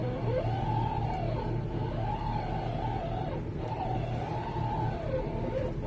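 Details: 2009 VW Touareg: a moaning tone rises and falls with each turn of the wheel at a standstill or low speed over a steady idle; power steering rack groan, fixed by rebuilding the steering rack.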